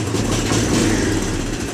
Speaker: the money to make it run again. But it's actually really happy right now, so.